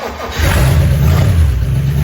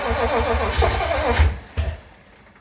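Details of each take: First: 1956 DeSoto Firedome, long stored in a barn, restarted after revival work and running on temporary gravity-fed fuel until a proper fuel pump is fitted: a low, steady rumble with an even firing beat and no knocks or misses, a smooth normal idle. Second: 1956 DeSoto Firedome, barn-stored 24 years, fuel pump cleaned and fed from gas can, gas poured in carburetor: even cranking that never catches, no fuel delivery, fuel pump not working; engine otherwise sounds good, no lifter noise.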